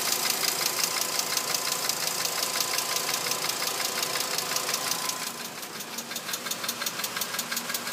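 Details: 2006 VW Jetta MK5 with 2.5L engine at idle: a sharp, light metallic tick about twice a second rides over the idle. The owner does not know the cause.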